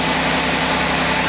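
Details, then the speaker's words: Audi Q5 3.0 TFSI supercharged engine after a snapped catalytic converter was welded back together and a K&N air filter fitted: quiet, even idle with a smooth hiss, no exhaust puffing or ticking; no leak, sounds as it should. "Oh, it's so quiet. That's the way it should sound."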